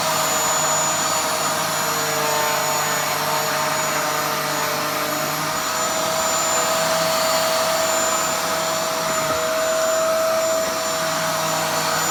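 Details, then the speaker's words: Dyson DC07 upright vacuum after cleaning, with a smooth, steady motor roar and a constant high whine and no rattles or surging, sounding much better than before. "now that sounds so much better than it did before"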